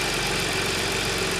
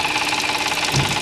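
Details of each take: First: Audi S cold-start idle after replacing broken timing chain guide and cleaning debris-clogged oil strainer: steady even hum, earlier chain rattle gone; normal cold idle. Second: Audi S (2014) cold start. A fast metallic chattering rattle from the top of the engine rises then fades; obvious when cold, not heard when warm. Caused by a broken timing chain guide letting the chain slap.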